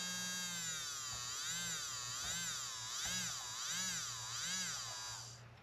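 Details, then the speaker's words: Cleaned small brushed motor for a Tamiya Porsche 934 RC car, run on 7.2 volts to seat it, commutator looking good: clean high-pitched whine swooping smoothly up and down with speed, no rattle or scraping; sounds real healthy. "there you go you can kind of see it and it actually sounds real healthy now"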